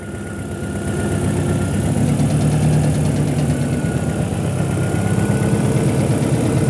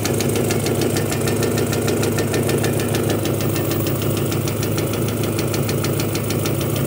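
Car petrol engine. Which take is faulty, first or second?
second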